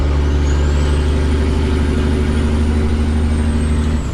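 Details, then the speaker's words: Owner-operator's flatbed semi truck idling with the exhaust pipes removed while the new exhaust has not arrived; a deep, raw diesel rumble, far louder and coarser than normal. Loud exhaust with pipes removed. "Looks like I'm going to have to go to Reno and get it >> cuz I got to go load and it looks like I'm going to load without exhaust. >> No exhaust. You hear it?"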